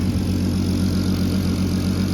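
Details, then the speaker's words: MK5 VW Golf R32 Turbo after exhaust manifold reseal, turbo, downpipe, wastegate and boost pipes refitted, on start-up: steady, even low rumble with exhaust now from the tailpipe, no ticks or hiss; normal idle. "Well, that sounds better. I'm going to hear the exhaust coming from the back, not the front, so that's a start."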